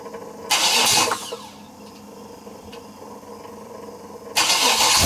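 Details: Freshly built 427 big-block V8 on a stand, short intake, catches with a sharp roar, settles into a steady, even idle with no hesitation, then blips up cleanly; healthy first start.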